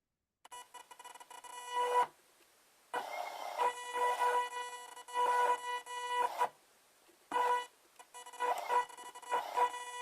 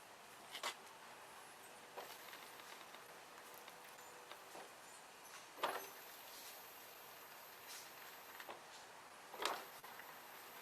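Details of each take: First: Motor driven by a 30 A BTS7960 (IBT-2) board under Arduino potentiometer-following control: a steady ~500 Hz whine while the motor moves, stopping when it stops, from the Arduino analogWrite PWM frequency. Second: Lawn tractor steering motor on a BTS7960 30 A driver board, driven via the board's test buttons: only brief chain, steering and linkage clunks as it reverses. No motor squeal, unlike the PWM whine heard under code control.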